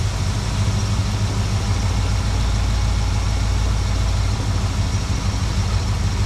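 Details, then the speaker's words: 1972 Plymouth Valiant 318 V8, Holley 600 four-barrel refitted after fixing a rich-running fault: deep, steady burble at idle with an even beat, no hunting or stumbling, much better than before. "carbs on there we go oh that's much better"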